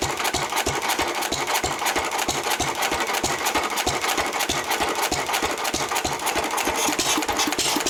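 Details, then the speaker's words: 1923 3.5 hp Emu (rebadged Hercules) stationary engine, restored early 1980s, first start in 20+ years, after oiling a sticking magneto/exhaust valve linkage: crisp even ticking about three beats a second with light clatter, no stumbles; normal hit-and-miss running. "Ah, it runs pretty well."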